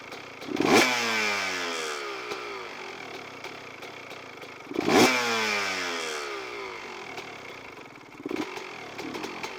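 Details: Two-stroke CR125 with air screw turned in to a rich position: blipped throttle rises, then revs sag, bog and the idle drops off fast with a muffled, smothered note; air screw too rich.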